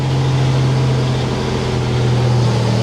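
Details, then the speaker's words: 1987 Buick Grand National turbo V6 after a fuel tune adjustment at setting 3: steady, even low rumble with no misses or surging, the cleanest start and idle it has ever had. The idle later sagged and the engine stalled. "It's running perfect. It has never started and idled like this before, not ever."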